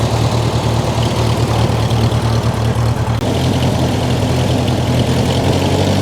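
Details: Old Ferguson TE20 tractor that has been in the family a long time, idling before its 60-hour service (oil change and greasing): low, even thumping with a steady beat and no misses, knocks or rattles, running great.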